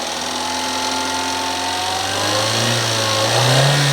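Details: Mini Cooper N12 petrol engine revving: rough rhythmic knocking under rising hum, grew worse after retiming and a new tensioner, monstrous after 300 miles; rod knock suspected, not confirmed.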